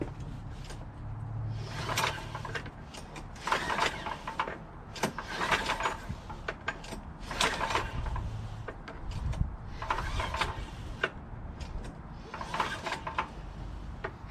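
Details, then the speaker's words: Free, disassembled Yardman 8.5 hp 26-inch dual-stage snowblower that was found on the street and wouldn't start. Several recoil pulls during a spark check, each with a quick run of sharp clicks. Spark can be heard, so the ignition is working normally. "So I don't see the spark, but I can hear it, if you know what I mean. It goes click, click, click, click, click, you know?"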